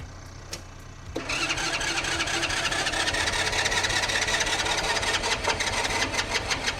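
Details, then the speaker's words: Walmart gas tractor cranking steadily at a quick even whir for several seconds without firing; owner suspects fuel not turned on, but hidden fuel switch was already on; jump-started and cranked long until it eventually ran. "Maybe the fuel isn't turned on since it isn't trying at all."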